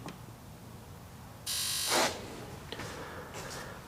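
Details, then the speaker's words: Sea-Doo GTX DI, new air injector found faulty, old one swapped back in: quiet background then sharp half-second electrical buzz when triggered; old injector solenoid clicks in and works. "I just swapped it out with the old one I took out. And it works."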